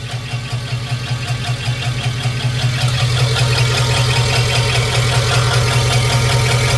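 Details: Customer-built 5.3 LS swap with cheap eBay lifters and trays, after being bounced off the rev limiter: steady rapid knock with engine speed and a faint squeak from one side at idle; both failed lifters and a spun bearing.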